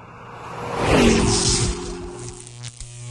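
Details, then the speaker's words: Mercedes W203, code P1636 radiator air control interruption: loud rushing roar at ignition switch-on settling into a steady hum; radiator cooling fan stuck at full speed immediately with key on, control signal lost. "comme vous pouvez entendre le moteur du ventilateur tourne à grande vitesse dès qu'on met le contact il démarre tout de suite"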